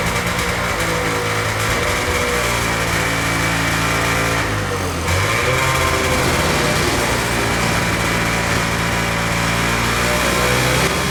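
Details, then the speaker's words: 1979 Ski-Doo Everest 444 liquid-cooled two-stroke snowmobile, idling after its first start in 3 years on fresh gas: crisp buzzy idle with one brief dip, then steady and even; running fine. "all right pretty satisfied with uh getting it started seems like it's running fine as expected"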